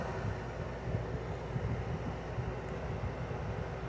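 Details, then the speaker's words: LG 6000 BTU window air conditioner at summer start-up, a few minutes in: steady, even low hum from its GMCC rotary compressor, no knocks or rattles, with refrigerant heard flowing through the evaporator, which ices up; normal cooling. "You can hear the compressor a little bit better. It has a GMCC rotary compressor inside."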